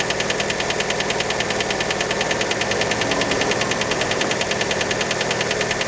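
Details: Fiat Panda engine right after a cold start: steady hard knocking about 200 a minute, clear above the idle and locked to engine speed; cause unconfirmed, many suspect piston skirt.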